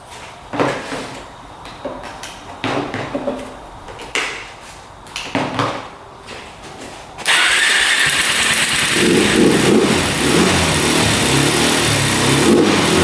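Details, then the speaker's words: 2004 Suzuki LTZ400 single that sat 10 years and kept flooding, tried with the plug out and oil added to the cylinder: several separate pull-start bursts, then it fires and settles into a steady, even run. Normal running. "she fired up so I knew it was floating out so it was just not enough compression when the gas floods it out"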